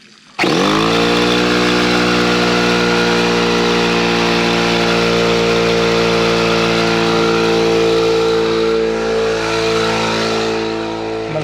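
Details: Husky (possibly Campbell Hausfeld) 17-gallon air compressor, after repairing broken regulator-to-switch fitting, run outside: starts abruptly then steady even drone with strong mid tone, no knocks or hiss; pumps up normally, no leakage heard.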